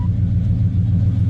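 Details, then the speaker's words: Carbureted engine just after starting, following a ported phenolic carburetor spacer install and fuel regulator mounting, with the start used as a leak check: a brief deep, even rumble settling into idle with no misses or knocks. Normal idle. "Wow. Starts right up."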